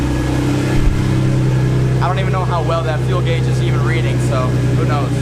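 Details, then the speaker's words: Cold idle of a JWT S7 cammed Infiniti G35 Coupe with full bolt-ons, freshly filled with E85 after draining the old 93. Loud, steady low rumble with a slight cam lope and no choking, misfire or stumble. Settling into cold idle fine. "and I love that cold start it's crazy loud but it it sounds like it's doing okay"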